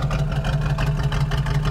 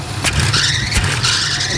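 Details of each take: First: Small block Chevy 350 V8 with Quadrajet carburetor, timing set to 12 degrees initial and idle turned down, idling at a guessed 550–600 rpm: low, even, steady burble, no misses or throttle lag. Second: Small block Chevy 350 V8 in a square body truck, distributor loosened and turned to retard timing: idle drops low and rough, throttle blips rise lazily with lag; turning it back restores crisp response.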